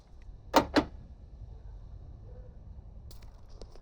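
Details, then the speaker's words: V8 Ford Falcon fuel door opener tested after repairing its wiring, about 8 degrees; two quick sharp clunks as actuator fires and flap pops, then quiet. Normal fuel door release operation, fixed. "And that works fine as well. So I fixed it."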